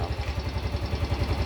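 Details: Yamaha Grand Filano scooter idling after valve clearance adjustment for hard morning starting: steady even low putter with no top-end ticking; sounds healthy.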